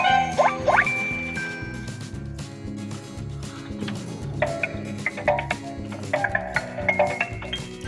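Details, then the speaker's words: Nissan Leaf (2013-2019) switched on: bright rising melody of tinkling chime notes over a faint low hum, the startup tune on the alternative sound setting from the menu. "І так, вмикаємо машину. Як чуєте, одразу йде звук, що сигналізує про те, що авто увімкнулося і тому подібне."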